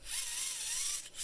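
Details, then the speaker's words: VEX 393 robotics motor after repair: cleaned, lubed and reassembled with the bushing lubricated. A clean, smooth whir rising and falling with hand speed; the earlier snoring is gone and the gear train spins freely. "here's the reassembled motor properly cleaned and lubed up and prepared now with that bushing listen to it i don't know if you can hear that no more snoring"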